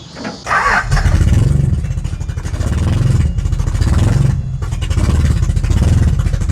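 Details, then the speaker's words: 1982 Celica Supra after fitting a radiator, water pump and alternator: the engine note surges and sags unevenly and never settles into a steady idle. It runs rough, though the alternator might work. "is running like [ __ ] but the alternator might work"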